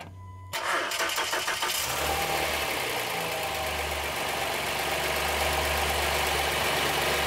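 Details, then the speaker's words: Honda Pilot III (2016) J30A9 engine after timing belt tensioner replacement: starts quickly and settles into a steady, even idle with no knock or tapping; normal healthy start and idle. "Слушай, да, вообще всё чётко. Прямо всё очень чётко."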